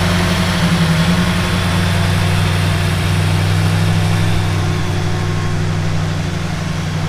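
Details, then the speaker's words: 1971 Plymouth Duster 340 V8 installed in a 1936 Dodge street rod, after hooking up the heater and refilling antifreeze: deep, steady burble at idle with an even low throb and no knocks or misses; normal idle. "it took a heck of a lot more antifreeze than we thought initially but so far it sounds good"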